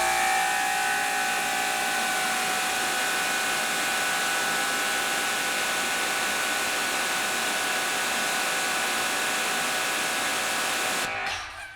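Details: Dewalt 2400psi 1.1gpm electric pressure washer on the 15 degree nozzle: steady high motor whine with even spray hiss, no surging or pulsing; measured about 2200 psi, running smoothly and normally.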